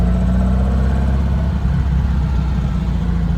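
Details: 1957 VW with a swapped-in 1800cc flat-four, after transmission work and a cam gear change made to chase an earlier unexplained noise, idles with a steady, deep, even chuff and no misses or knocks. It sounds good.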